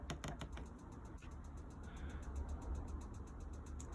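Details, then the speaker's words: Bürstner 2005 motorhome, 3-way fridge (gas, 240 V hookup, 12 V) lighting on gas: quick steady train of dry ticks, several per second, from the igniter sparking normally; a flashing light shows if it fails to light. "So first of all, you'll hear it light up, and if it doesn't light, then the little light in here will start to flash."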